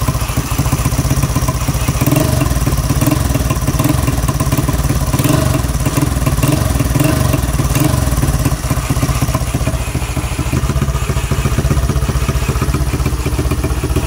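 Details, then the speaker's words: Yamaha Mio scooter engine run bare without wire harness, fed from an auxiliary tank, after replacing a broken cam sprocket that kept it from starting: even steady single-cylinder putter, no knocks or misses, no smoke; normal idle. "Ngayon umandar na dahil pinalitan siya natin ng bago."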